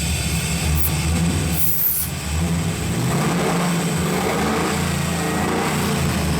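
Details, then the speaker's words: 2002 Ford SVT Lightning, freshly rebuilt, running after the unmetered-air intake tubes were hooked up: a deep, even engine rumble holds steady and picks up cleanly on the throttle, with no knock, miss or rattle; runs well. "this is the first time i've stepped back and looked at this thing with the wheels and everything and it runs and it runs well"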